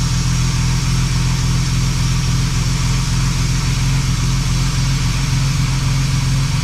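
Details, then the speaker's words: Jaguar Mk2 3.8 manual straight-six, long stored in a shed, just topped up with mixed oil: deep even idle with steady low burble after starting, no knocks or misses; settled, healthy idle. "This happens to all of us. So we leave it in a shed and it just all goes horrible. just sad. Run it. Run it. Sounding good."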